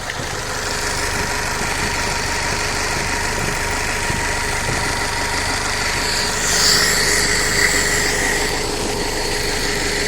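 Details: Fiat Punto 1.2 8v petrol idling unevenly with a recurring stumble in its beat: misfire on cylinder 2 at idle.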